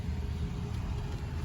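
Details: 2007 Mercedes-Benz S550 base model after fuel pump replacement, primed by cycling the key: steady low, even idle rumble with no misses or stumbles, starting cleanly and running smoothly.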